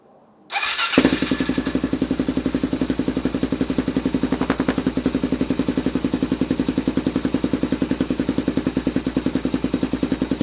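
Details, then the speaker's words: Suzuki DRZ400SM with a shortened Yoshimura exhaust, first start after the cut: single catches after a short crank and settles into a loud, crisp, even thump near four per second; healthy idle, just a noisy exhaust. "That's actually way louder than I thought it would be."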